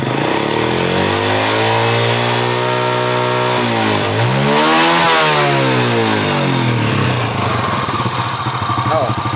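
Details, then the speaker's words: Honda Astrea Impressa motorcycle (same engine type as Grand/Supra 110, C100), quiet when cold but noisy when hot: fast light ticking appears once the engine reaches about 60 degrees, rising and falling with revs. "Kalau kita ngecek ini sudah mulai muncul suaranya ada kan itik itik itik noh sekarang berapa nilainya 60"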